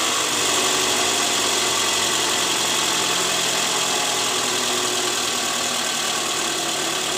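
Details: Toyota Alphard 2AZ-FE after replacing a worn balancer shaft blamed for rough noise from the oil pan area, worst cold in the morning; steady even idle with only a smooth hiss and no knocking, normal idle after repair.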